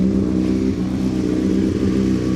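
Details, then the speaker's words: 2005 Honda CBR600RR after dead battery reinstalled following overnight charge, not run for a while; loud, steady four-cylinder idle, even low burble, no knocks or misses, warming up; throttle possibly slightly sticking. "I'm just going to let it run for a minute cuz it hasn't run a little while. So, I'm just going to let it have a quick warm up."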